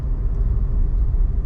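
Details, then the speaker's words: 2015 Toyota Corolla after front brake pad replacement, test drive: only low road rumble while rolling, no squeal or scrape from the front wheels; brakes quiet. "quiet as can be all right guys all right guys we got this thing fixed no more noise"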